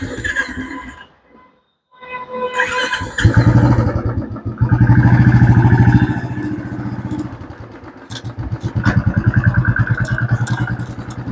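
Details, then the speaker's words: Royal Enfield Classic 350 after fixing a front-end knocking from the steering/handle area with front bearing work: even single-cylinder thump rising and falling with throttle, no clunking from the front, steering head now quiet. "चलाक मैंने आपको दिखा दिया है कि जो पहले खटखट की आवाज कर रही थी वो अब आवाज इसके अंदर नहीं है"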